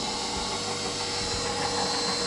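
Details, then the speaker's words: KitchenAid Professional 600 stand mixer after replacing the worm gear follower, which had caused loud gearbox grinding and a paddle that would not turn: smooth, even motor whir with light gear hum, no knocks or grinding. Normal running. "Maybe a little bit more. Looks like we fixed it."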